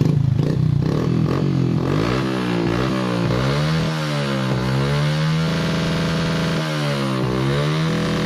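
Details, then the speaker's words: Honda Supra X 125 that misfired (brebet) and lacked power because the top/cam timing had shifted. After the repair the engine restarts, valve noise is gone, and a smooth, even note rises and falls with the throttle: normal running. "Nah itu juga suara di bagian klep juga langsung hilang Nah langsung halus ya suaranya"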